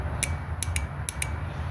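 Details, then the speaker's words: Old fuel injector from a 2001 Mazda 626 2.5L, bench-tested off the engine on 12 volts, gives crisp clicks in quick pairs; it opens and closes normally. "I've got one of the old injector set up here. I'm going to put 12 volts here. Hopefully you can hear that clicking."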